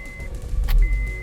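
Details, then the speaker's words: 2008 Honda Accord with long cranking after starter replacement, after crank relearn done with a Launch X431 Pro scanner: door chime, brief crank, engine catches almost at once into a steady idle; normal quick start. "boom turns on right away"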